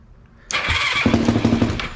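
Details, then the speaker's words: Yamaha YFZ450 after top-end rebuild, electric start with clutch held in: brief starter whir, single fires at once into regular pulses; no-start problem was just a small switch that came off; clean normal electric start. "okay, that is good. Okay, we figured out our problem now, guys. It was simple. It was just this little switch that came off."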